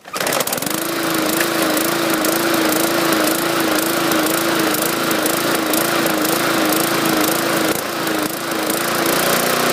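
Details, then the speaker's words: 2014 MTD 20-inch push mower, 300E series engine, main jet drilled out to 0.6 mm: steady buzz wobbling in pitch a couple of times a second, mild hunting surge; raising rpm didn't help, suspected from the over-bored jet. "I think this thing is um pushing too much gas we're getting that surging I try to increase the RPMs to compensate for the extra fuel that didn't seem to work"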